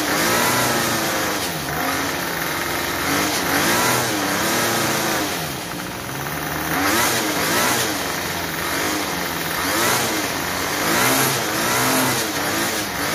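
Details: Troy-Bilt TB32EC two-stroke trimmer after carburetor idle adjustment fixed stalling on trigger and head spinning at idle; steady buzzing idle, revs cleanly up and down without stalling: normal idle and throttle response.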